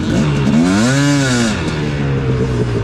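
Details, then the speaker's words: Two-stroke dirt bike after fitting a new carburetor that fixed lean jetting; revs swell and fall, then a fluttery crackle on throttle-off; sounds mechanical rather than lean popping, cause not yet found. "it sounded really really good the next time i wrote it but i was still hearing that like fluttery cracking noise listen"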